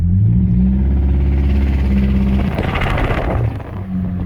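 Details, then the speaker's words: 2006 Chevy Cobalt with 300,000 miles: a low drone, then a rough rattling knock as the throttle opens, louder under load. Engine judged bad, needing rebuild or replacement. "It's knocking. But it still drives, believe it or not. 300,000 miles, knocking like crazy."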